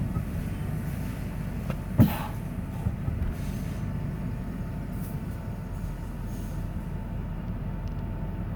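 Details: 1994 Ford F-150 4x4 with TTB lock-out hubs set to free: over a low truck rumble, a single sharp clunk as the brake is released, mostly when in reverse going downhill.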